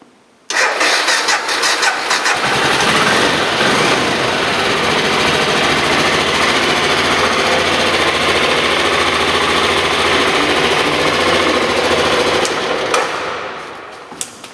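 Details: Aprilia Pegaso 650 ie single after head stock bearing work, evening at about 24–25°C, on half choke: about two seconds of cranking, then catches and holds a steady, slightly fast choke idle; normal cold start.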